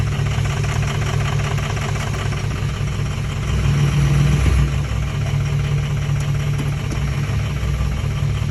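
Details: 2004 6.0 diesel with a lumpy, uneven idle and irregular low thumps, about two or three a second; runs rough, cause unclear.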